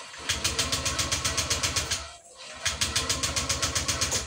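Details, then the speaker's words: Honda Vario 125 LED that died while riding and shows 12 injection MIL blinks; fuel pump does not hum at key-on: starter cranks in two even bursts, about four beats a second, but it never fires; no-start from faulty injector wiring. "ini gak mau nyala ya teman-teman ya si motornya gak mau nyala terus dinya ini jugaak ngedengung ya teman-teman ya"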